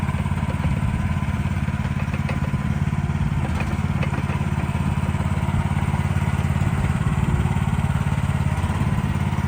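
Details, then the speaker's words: 2024 Lanty LAT-13 mini excavator, new and unused, gas engine: even, steady beat about three pulses a second with no knock, miss or clatter; healthy run. "Gas motor. These ones here are very smooth to operate, pretty simple."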